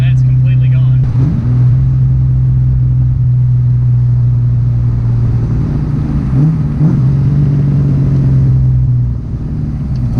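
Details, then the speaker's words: SN95 Mustang V8 test drive after fixing an intake vacuum leak: deep smooth drone pulling evenly under part throttle without stumbles or surges; former hesitation and jerkiness gone, running clean. "and sang runs so much better it's literally nine-day difference guys so much better"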